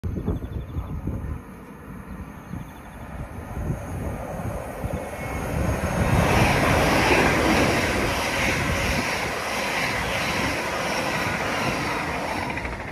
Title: Class 802 @ Speed + Wheel Flat!! Subscribe for more..